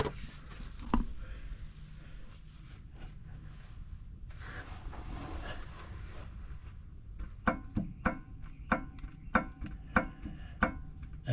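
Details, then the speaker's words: 2013 Ram 3500 while driving: sharp, evenly spaced ticking/clacking whose rate follows truck speed. Cause is the bad passenger-side front U-joint at the wheel, with needle bearings gone and the casing cracked. "And as I drive, the cadence of the noise coincides with the speed of the truck. So there it is. If you've got this kind of annoying ticking sound as you're driving down the road, check your front U-jints."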